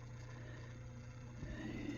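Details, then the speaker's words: Samsung oven door lock motor (C-D1 error) tested by pressing clear: quiet, even low hum and vibration from the small geared motor running steadily without stalling or grinding; motor working normally. "so you can tell if your motor's good just by clearing that you can you can hear it vibrating but motor's actually going"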